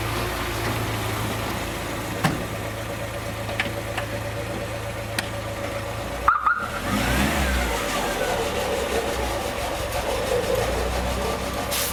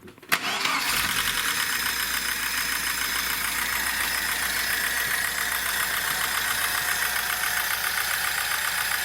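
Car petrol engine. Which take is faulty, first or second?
second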